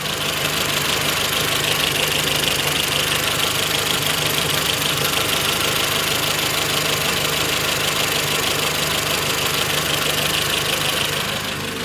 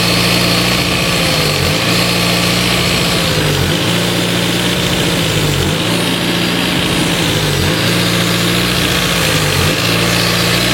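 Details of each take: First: Renault Twingo after throttle body and idle actuator work: after a minute of running the ECU relearn brings idle down low, steady and even with constant hiss, much less vibration than before; normal idle. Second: Renault Twingo, idle air actuator (new) on throttle body: steady raised idle with faint surge every two seconds; air passing through idle bypass hole because new actuator won't close properly, no intake leak found.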